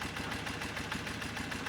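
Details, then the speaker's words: BMW motorcycle carburetor tuning, warmed up, idle drop test: slow lumpy idle about seven beats a second, running rougher as mixture screw is backed out, richening the mixture. "And that means, so as I bring this screw out, I'm giving the engine more fuel, so the mixture's getting richer, and it's starting to run a little rougher."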